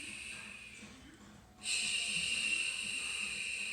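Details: Google Home Mini, set up months earlier and left unused, in a quiet room suddenly starts a steady high hiss with a faint breathy texture; spurious hissing glitch, cause unknown.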